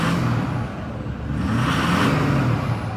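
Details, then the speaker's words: Ford F-250 6.4 diesel, back from the shop, with SCT tuner on street tune, EGR delete, bulletproofed motor, stock exhaust: revs up in neutral with turbo whoosh rising with revs, then easing off; normal turbo spool. "You can definitely hear the turbo speed."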